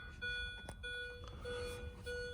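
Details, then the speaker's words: 2005 Mini Cooper S R53, 132,963 miles, no-crank, with the EWS3 module unplugged for a bypass test and the key out. Short repeating electronic beeps in clusters; cause unclear, and the owner suspects the disconnected EWS. "I don't know if that means the lights are on or it doesn't like something. Not sure why this is beeping right now."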